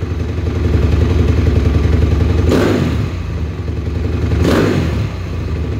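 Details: 2007 Honda CRF250R at ~7200 ft, 45 pilot, JD high-altitude kit (red needle, 4th clip), Boyesen QS3 ~7/8 out, fuel screw ~2 out; lumpy idle, quick throttle blips bark and sag briefly: slight bog only on hard snaps, after accelerator pump timing adjusted.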